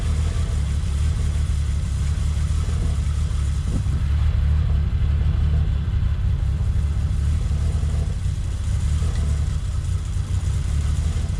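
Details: Toyota Supra after cooling system rebuild (new water pump, thermostat, coolant), up to temperature with fans on: deep, steady rumble with an even note, no misses, knocks or squeals; normal running, though a couple of coolant leaks were suspected at the radiator top.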